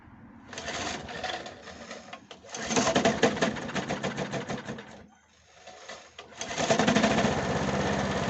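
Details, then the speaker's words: Briggs & Stratton 375 Sprint mower engine running cold just after priming, oily near the head: fast, sharp ticking puff, a clack and air leak from below, fuel smell; blown head gasket. "On entend quand même un claquement, une fuite d'air qui vient de là en dessous, vous voyez."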